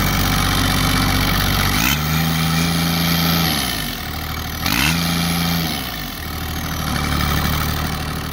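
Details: Kubota GR2110 mower with an added RHB31 turbo, being driven: a steady diesel chug whose pitch rises and falls twice as it is revved, with a faint high whistle over it. Normal turbo spool.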